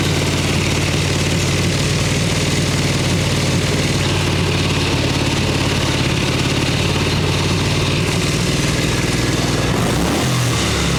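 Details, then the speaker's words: 1989 Harley-Davidson Ultra Classic Tour Glide, Evo bottom-breather with butterfly (non-CV) carb, warming up: even, lumpy V-twin idle with a clean mechanical sound. It runs on choke but dies with the choke off; the owner suspects the idle needs turning up. "Really just trying to warm this thing up a little bit and see if it'll run without choke. God, that sounds super healthy minus the, you know, rubbing out and dying."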